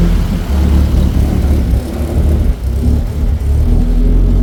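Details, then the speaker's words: Nissan 240SX turbo project car just revived, not revved since turbo misbehaves: steady low even rumble, no knocks or ticks, smooth idle holding speed; engine running fine. "Nice and quiet, just like I planned. It's quiet. She runs on her own, fires up on command."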